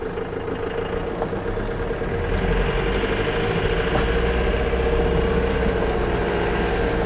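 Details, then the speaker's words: Ford VH Transit diesel, hot day, idling with loud harsh knock about four times a second, power loss, code P0149; suspected faulty pump timing solenoid not advancing injection timing. "basically it just sounds like a tractor which makes sense and from what i understand it's pretty much just running really a really fuel timing and being a diesel all of its power comes from the fuel"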